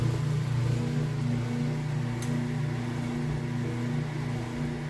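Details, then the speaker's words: Kenmore washer, ultra clean cycle with heavy jeans and towel load, moving from wash to rinse: steady low hum with water rushing through, even and unbroken; drain pump emptying the tub quickly and normally. "Alright, moving out of the wash cycle into the rinse cycle. You can hear it draining that water out nice and fast."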